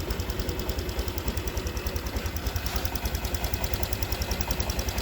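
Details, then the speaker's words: Honda Vario 150 scooter that stalls on throttle after morning starts, idling after the fuel pump filter was checked (pump pressure around 40): ticks over smoothly with an even, steady pulse of about three beats a second and no stumbling; normal. "Oke, kita coba hidupkan mesin ya, cek, cung gitu. Oke teman-teman, aman ya."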